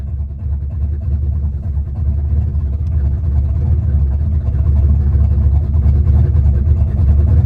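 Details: Small-block Ford turbo 383 V8 after new rocker arm install fixing a metal-on-metal tapping, warming up, timing not yet set, slight exhaust leaks: deep steady rumble smoothing and firming over several seconds, no tapping; healthy.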